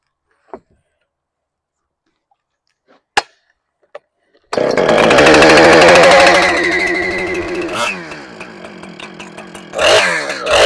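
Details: Husqvarna 455 Rancher chainsaw after replacing clutch, clutch drum, drum bearing and guide bar: a few quiet clicks, then it fires and revs clean and even, settling smoothly with no rattle or slipping; healthy after repair.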